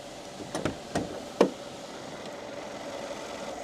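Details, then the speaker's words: Mercedes-Benz S500 Designo (M278 V8) after full engine, transmission and chassis overhaul: after a few handling knocks, a low, quiet, steady idle with no misses or knocking; repair judged complete and normal. "Đây là âm thanh của xe sau khi hoàn thành công việc Tôi nghĩ rằng động cơ đã được sửa chữa tốt Âm thanh động cơ rất yên lặng, xe không xê dịch, việc sửa chữa hoàn tất bình thường."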